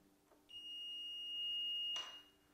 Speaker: okay that means there's continuity that means that the connection between these two actually is good